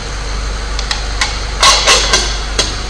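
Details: 2005 Saab 9-3 Turbo idling after fixing a slight misfire by replacing spark plugs and refitting coils, camera set on top of the engine; steady, even idle hum under handling clicks, no stumble or miss.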